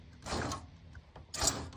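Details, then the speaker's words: 2009 Nissan GT-R with new CSF aluminum radiator, driver-side fan spun by hand: two short dry scraping swishes as the fan center rubs the radiator core; owner unsure if fitment or lower hose pushing the radiator. "the fan if you look closely is touching the actual not the Shroud but the middle of the fan right there is touching on the radiator so when the fan turns on it makes the noise"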